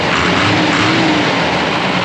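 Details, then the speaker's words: Custom Ford F-550 with a Cummins diesel and compound turbos, idling in the shop: loud, steady, even running with no knocks or misses; almost zero blow-by, and the engine is judged in great shape. "as you guys can tell it's running pretty smooth I think this engine is in great shape it's got almost zero Blow by"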